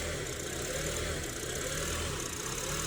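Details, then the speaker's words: Honda with code P0507 (idle higher than expected): warm petrol engine idles high and slightly unsteady with a wavering hum. The fast idle thermo valve is still open when it should be closed, pulling extra air. "bar should be closed by now definitely that ball is staying open"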